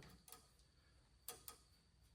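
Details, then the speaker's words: Brake controller salvaged from a half-ton truck, being wired into a 1970 GMC 2500 with power and ground connected: a few sharp isolated relay clicks on power-up through levels; controller switching normally. "hear it clicking. There's your different levels."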